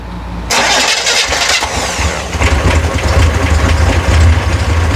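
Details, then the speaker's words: Rebuilt FC flat-six first start: starter whirs briefly, then it catches and settles into a steady, even idle once the disconnected fuel pump wire is reattached; starts and runs normally. "Now she is, but here, let me put the let's wire back. Maybe that's what was wrong with it. Okay, it was the fuel pump."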